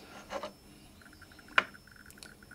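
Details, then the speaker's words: 1959 Sputnik-1 radiometer being repaired, working ×100 subrange showing correct dose rate: faint short high-pitched ticks coming irregularly, several a second, quiet as they should be; the faulty ×10 range should click noticeably louder. "It shows the correct dose rate and you can also hear that the beeps are quiet. That's how it should be."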